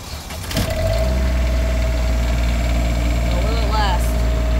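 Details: 17-year-old Newmar Mountain Aire motorhome generator after replacing a broken belt: engine catches and settles into a steady even low drone, no knocks or belt squeal; running normally with AC on.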